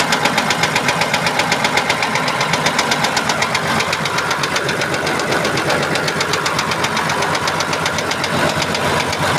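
Sharp, even metallic knocking, about two and a half per second, tapping steadily over the engine; a knock, cause not identified.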